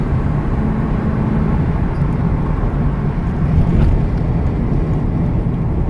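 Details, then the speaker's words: 2004 Ford Econoline E-150 XL wheelchair van, 110k miles, on highway test drive: deep engine drone builds smoothly under throttle with road rumble, revs ease at the transmission shift; engine runs strong, reaches 65–70 mph without problems, normal acceleration and gear shifts. "I'm going to give it some gas so you can hear it run, hear the transmission shift, hear the engine run strong."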